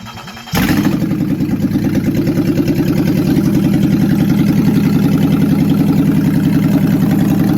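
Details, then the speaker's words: 1988 Toyota pickup after a 3.0 to 3.4 (5VZ-FE from a 1996 4Runner) engine swap, first fire-up: quick crank, then a loud, steady, even idle through open pipes; it idles but may cut power around 1500 rpm. "really really good progress we went from a motor that just turned over to now a motor that idles"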